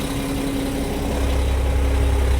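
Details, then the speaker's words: Mack Vision CX613 truck with Mack E7 diesel after water pump replacement, refilled with coolant and run up to temperature, no leaks: steady low diesel rumble at idle, even, no knocks or misses; normal idle. "so fire it up get it up temperature and make sure we're good to go"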